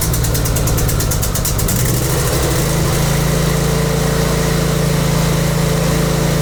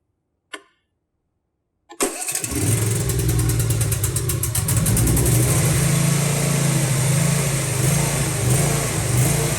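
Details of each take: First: Briggs and Stratton V-twin with Nikki carburetor after cleaning carb and emulsion tubes to fix surging: settles into steady, even idle with firm low drone, no hunting or surging. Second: Briggs & Stratton V-twin with Nikki carburetor catches after a click and runs with a slowly rising and falling, hunting surge; the surging mostly clears when the choke is on.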